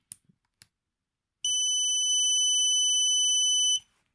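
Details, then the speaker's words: Drone flight controller on power-up, with everything correctly connected: a few faint clicks, then a constant high-pitched beep; another flight controller does not do this, so this unit is suspect. "everything is correctly connected but then whenever there's power to the flight controller it has a constant beep"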